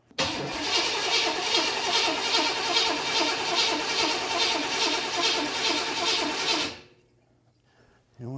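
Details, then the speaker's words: 1979 Corvette with new crate motor, first start attempt on a very cold day: steady starter churning for about seven seconds, never catching; engine flooding, sediment collecting from uncleaned lines. "now we're flooding over here and this has already collected a bunch of sediment"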